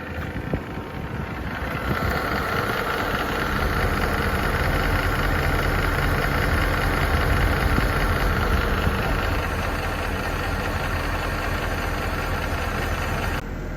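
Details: Mercedes M156 V8 idling before camshaft adjuster replacement: steady, fairly quick ticking, about four a second, from worn camshaft adjusters.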